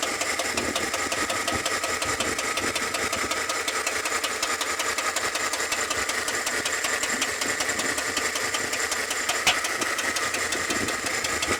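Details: Chevrolet Tahoe engine at idle: light, fast ticking at about two to three per second over a steady idle, the sound of a noisy valve lifter.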